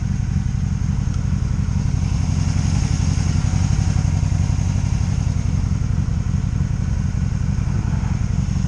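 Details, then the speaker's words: 2002 Honda Magna VF750C on a road test following brake work: continuous even V4 drone with no ignition cuts, bucking, stumbling or surging; first non-stop run, engine running normally. "That means no ignition cuts, no bucking, no nothing, just it ran good."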